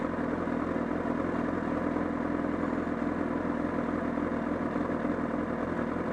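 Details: Honda CBR1000RR at steady idle at Sportsland Yamanashi: a regular flapping beat, about three per second, from around the engine that grew stronger, along with a loss of torque. Source undetermined.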